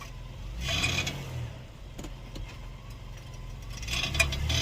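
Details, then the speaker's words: 2020-2022 Ford Explorer police vehicle, rear, pulling off after shifting park to drive or reverse; a few sharp metallic tings and pops between suspension grunting over a quiet idle; repair avoids replacing axles. "you hear the little ting ting ting ting ting in between the suspension grunting there's a little ting in there"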